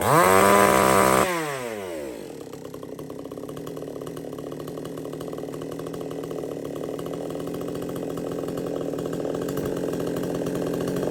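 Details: Supmix 54cc clone chainsaw (sold as 55cc), not run for 2 months, under load: brief high scream drops, then settles and climbs steadily without bogging; pulls strong, runs clean, though oiler is slow to kick in.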